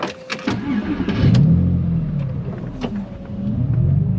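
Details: Porsche 911 after fuel system work following a shutdown: short crank, then fires promptly and holds a steady, even idle; clean, healthy start.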